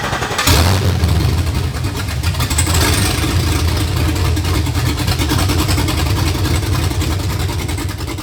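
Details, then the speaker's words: Chevy C10 Square Body with an LT engine swap, starting on a retry after the vehicle anti-theft system was disabled: a quick crank fires cleanly into a steady, deep V8 idle with no misses or knocks. Normal start and idle. "the next steps here is the truck's all ready, it's running."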